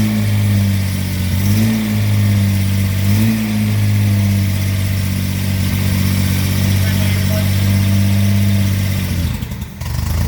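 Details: Car with rebuilt SU carburetor, choked, started after the distributor/ignition fix gave a consistent spark: runs steadily with a low even hum and a couple of light rev blips, no misses; normal running.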